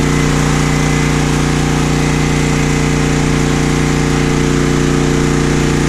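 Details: Home backup generator during the Hurricane Ida power outage, feeding the house with the incoming line breaker off and powering the refrigerators and freezers: loud, even drone with a steady pulse about three times a second and no surging. Normal running under load.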